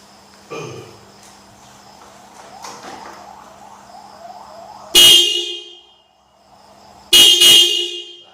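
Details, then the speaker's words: Yamaha Mio motorcycle fitted with a Toyota Avanza car horn: two loud, bright blasts, the second a quick double toot, clean tone with no rasp, horn working strongly. "Mantap suaranya kan, kencang dan stereo."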